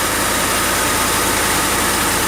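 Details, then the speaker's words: Ford F-150 started right after an oil and filter change: steady, even idle with a smooth low pulse and some hiss, no ticking or knocking; engine sounds healthy. "Okay, fire it up. Does it sound okay? I think it's all right."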